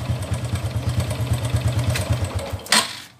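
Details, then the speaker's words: Honda Wave 125 single-cylinder at idle, which the owner suspected had connecting-rod damage. A quick, uneven, light metallic tak-tak ticking rather than a deep thud; the mechanic says it is timing chain rattle, not the rod. "So yung takatak na yon, hindi connecting rod yung tama na yon."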